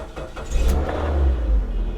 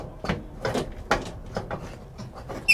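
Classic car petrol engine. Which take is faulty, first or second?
second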